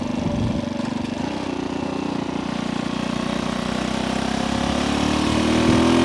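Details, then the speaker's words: Small vintage motorcycle revived after decades sitting, riding around 40–45 mph in upper gears: crisp, even exhaust beat climbing smoothly with revs, no misfire or rattle; running healthy. "This thing is a rocket ship. Boy, it wants to run."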